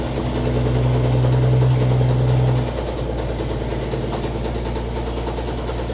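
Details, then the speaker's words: GMC 2-ton tanker truck, probably a 1957, abandoned 40+ years, first run: loud, lumpy low drone with an uneven pulse about three times a second that drops midway; runs rough, cause unknown. "Man, that sounds bad."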